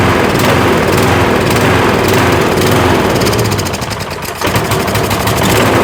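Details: Troy-Bilt riding mower, Kohler Courage engine, running on choke: rough, uneven running with speed sagging then picking back up; the owner blames water still in the fuel for the surging.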